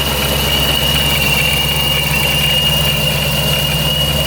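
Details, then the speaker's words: Procharged Dodge Scat Pack 392 V8 at idle; a clean, steady high supercharger whine without rattles or grinding; owner unsure whether the gears are breaking in or there is a fault, oil unchecked; sounds like normal centrifugal blower whine. "And now it sounds like this. I'm not really sure if it's something with just the gears breaking in, or if it actually has a problem."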